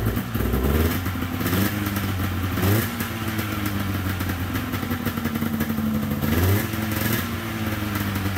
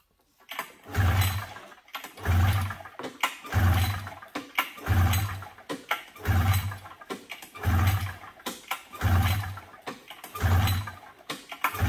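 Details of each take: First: 1997 Polaris XCR 440 twin liquid-cooled two-stroke snowmobile, first start with premix poured down plug holes, weak spark: settles into steady idle between quick throttle blips, picking up cleanly; carbs may not need cleaning. Normal idle. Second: 1997 Polaris XCR 440 twin liquid-cooled two-stroke snowmobile: eight slow even pull-start strokes, low whirr, no firing; cranks but won't start until fuel is drawn into carb float bowls, later primed via plug holes.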